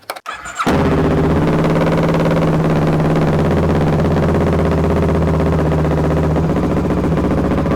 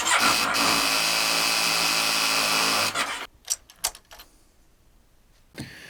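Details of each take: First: Kawasaki ER6/Versys 650 with charging fault, first start after replacing a burnt-out wiring connector: catches quickly and settles into a smooth, even idle with no misfire or stumble; normal start and idle. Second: Kawasaki ER6 / Versys 650 with weak starts, still failing after a new battery; quick, even cranking for about three seconds that stops without firing, then clicks. Charging system fault, with regulator rectifier or stator suspected. Hard starting.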